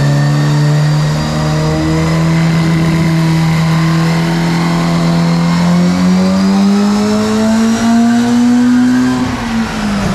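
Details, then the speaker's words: Four-rotor Mazda RX7 at its first start after rebuild, with a four-into-one collector and a 3.5-inch exhaust with one box. A loud, clean note climbs smoothly to the higher rpm side and drops back, with no misfires. Running really well. "brilliant but it's so loud now that we're getting off to the higher side of the engine RPM so we're gonna have to call it a call it a night because you can you can start to hear it outside pretty easily"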